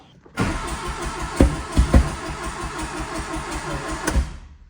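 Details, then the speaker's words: 1981 Plymouth Reliant K 4-speed, sitting 35 years, exhaust pipe pushed down to widen a gap: uneven cranking with about four sharp pops from the rear in five seconds, engine never runs; exhaust problem suspected, not confirmed. "Now, that was a those were consecutive pops in the back. Did you hear those?"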